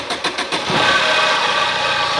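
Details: Tata Manza Vista, same engine as Swift and Ertiga, started from cranking: starter cranks a few times, then the engine catches with a faint high whine over an uneven idle.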